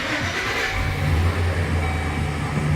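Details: Chevy van with a no-start and erratic gauges, after the main engine ground wire behind the AC compressor was addressed: the engine catches at once and settles into a steady, smooth idle. Normal start.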